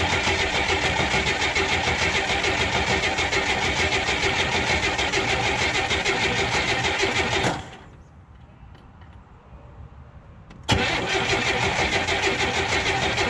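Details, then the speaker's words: 1981 Oldsmobile Cutlass Supreme after a fuel pump replacement, started without a jump: the engine runs steadily, goes quiet for about three seconds, then catches at once on restart and holds an idle that is not entirely happy. "but it runs and it doesn't sound like death it doesn't sound like life either perpetually idling I wouldn't say happily"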